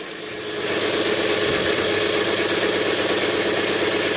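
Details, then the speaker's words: Subaru EZ30 petrol six idling with the accessory belt removed: even and quiet, with no rustle. This isolates the whirring to a belt-driven accessory bearing, which the owner first calls the alternator's and later the starter's. "Вот этого уже нету. Шуршания геморрой."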